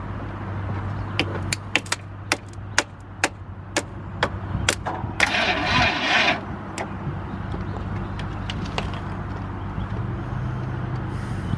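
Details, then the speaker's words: Jeep Cherokee Pioneer, sat about 20 years, keyless, starter fed 12 V directly at the ignition coil/starter solenoid before jumping from another Jeep: irregular clicks and slow labouring churn, starter short on power, no catch. "Alright, now that we know that it will turn over, we're going to jump it off of Jesse's Jeep to give it some more juice because that starter sounds not happy."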